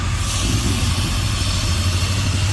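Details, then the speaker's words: Hot rod V8 at first run after the TDC timing was corrected: deep, lumpy idle with an uneven low beat, and a couple of cylinders not firing. Owner suspects rust in the fuel line plugging an injector; not confirmed. Misfire. "And it's got a a little running issue I got to figure out. Couple cylinders aren't firing."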